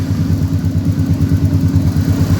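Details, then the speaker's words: Honda Beat eSP scooter that suddenly stalled and was hard to start, now running after an electrical/ECU socket wiring fix; low, even putter with steady firing pulse, no misses. Normal idle after repair. "Nhưng có thể nó vẫn có thể quay được vì nó chưa thể khởi động được . Được rồi, động cơ đang chạy."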